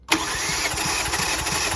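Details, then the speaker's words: 2018 Kia Forte during compression test with gauge in one cylinder: starter cranks at an even rate with regular matching compression pulses, no drop-outs; cylinder reads about 180 psi; normal cranking. "All right, so this one's at just over 180. So we'll call this one 180."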